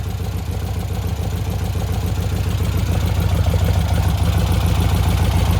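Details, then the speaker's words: 1957 VW Oval with a freshly installed 1800cc engine, reassembled after a problem, carburetors still being adjusted. A smooth, even low thrum with a steady beat rises slightly as the throttle opens; runs clean with no misfire. "All right, people, just put back the 57 and the 1800 cc 1.8. It's working good."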